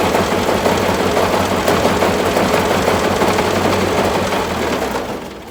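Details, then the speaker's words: Massey Ferguson tractor, first start after restoration work, after fighting for spark at the distributor points: loud, hard banging about three times a second while running, fading as the engine winds down, like something beating against something; source unknown. "I don't know what the hell all that banging is the F like something beating up against something anyhow we're going to call that a run"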